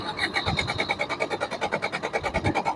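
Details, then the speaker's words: Maruti Suzuki Swift diesel, long crank no start: even starter cranking with only sound, engine never fires; high pressure pump faulty, repaired with its valves replaced. "വണ്ടി start ആകാത്തതാണ് complaint crank ചെയ്യുന്ന സമയത്ത് വെറും sound മാത്രമേ ഉള്ളൂ"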